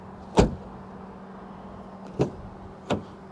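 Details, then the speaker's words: Front door of an all-electric Ford Capri Extended Range AWD, top trim, closing after opening very wide: one firm, deep thud, a couple of lighter knocks, no rattle, solid latch; a normal, very solid door closing. "Let's check the front doors. They're opening very wide, so very easy to enter and exit the car. And the door closing sound."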